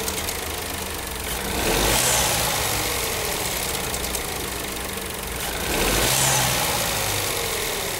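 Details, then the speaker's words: Renault/Dacia TCe 1.0 (H4D) turbo petrol engine idling after injection ECU reprogramming: steady idle with light hiss and gentle swells; the metallic ratcheting from the turbo wastegate rod is greatly reduced, almost gone. "Podemos oír que el ruido metálico de Carracas se reduce notablemente y casi desaparece."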